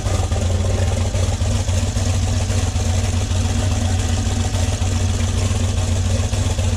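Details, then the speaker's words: Duramax diesel idling at about 1000 rpm, shaking, with low vacuum and the problem on only one side: heavy, lumpy, uneven rumble, missing on some cylinders; owner suspects an electrical rather than mechanical fault; rough idle misfire. "You know, it sounds terrible. It sounds so freaking terrible. And I don't think it's a mechanical issue, to be honest."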